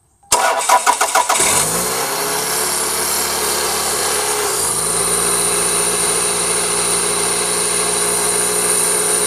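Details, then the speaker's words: Toyota Camry 2.2L I4 5S-FE just after timing belt, water pump, seals and pulleys replacement, checking the timing belt covers: cranks a few beats, catches and settles into a steady, even idle with no belt slapping against the cover. Normal idle. "make sure that the timing belt covers were installed properly if anything went wrong you'll you'll hear the belt rapping against the side of the cover"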